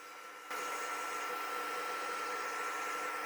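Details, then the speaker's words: MacBook Air with all apps open, running hot, before thermal paste replacement and dust cleaning: loud steady airy rush with thin whistle, fan at full speed from overheating. "Now I let you enjoy the symphony that the machine make once it's hot."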